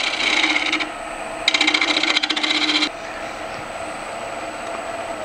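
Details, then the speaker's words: Elm bowl, turned green and dried until it went oval, being trued on the lathe at 1,000 rpm by scraping with a spindle gouge. The gouge gives rapid rattling chatter as it hits only the high spots of the out-of-balance blank. "i'm going to just take my spindle gouge and scrape that and you can hear how out of balance that is"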